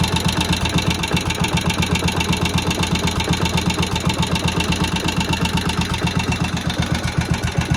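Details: Old barn-find Moto Guzzi single first start after 40 years, head work done: slow steady thump about four beats a second with a light top-end tick, oil being pumped around; sits there ticking over very nicely, healthy idle.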